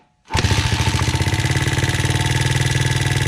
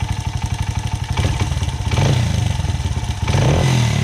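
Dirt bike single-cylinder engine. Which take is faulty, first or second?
first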